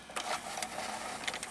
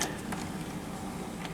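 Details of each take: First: JVC HR-S5400U Super VHS VCR that won't load a tape; loading motor whirs with irregular clicks and clunks as it partially loads then shuts down; first suspected a dirty mode control switch, actual cause a spring detached from a broken lever tab. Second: JVC HR-S5400U Super VHS VCR after repairing the broken slider tab by re-looping its spring; brief steady motor hum with light clicks as the tape ejects cleanly, loading mechanism working normally.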